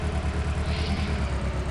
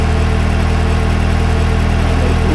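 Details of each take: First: Engine misfiring at idle, rough lumpy skipping beat; codes for cylinder 1 misfire detection and cylinder 1 injector circuit point to injector one. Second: Smooth, even idle after replacing the cylinder 1 fuel injector, which had high resistance and caused a misfire with P0201 injector circuit fault; no stumble or knock, engine now runs correctly.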